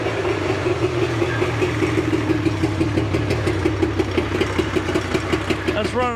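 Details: 1983 Evinrude 50hp outboard: uneven, lumpy idle with irregular popping beats and missing rhythm, running on only one cylinder.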